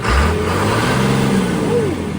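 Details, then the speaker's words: Restored old fuel truck engine revved with the manual-shift PTO in gear: smooth rise in pitch and settle, no knocks or rattles; it sounds clean, as if recently rebuilt. "Sounds clean. It does sound clean. That's That sounds like this one just got rebuilt, too."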